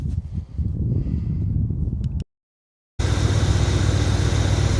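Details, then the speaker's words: 1978/79 Chevy K20 4WD V8, sat about 15 years, still idling about 3 minutes after a start on fuel poured into the bowl, possibly on old tank fuel. A low, steady rumble with an even beat and no knock or miss. Normal idle. "So, I fired it up like 3 minutes ago on the fuel that's in that was in the bowl and it's still just idling along."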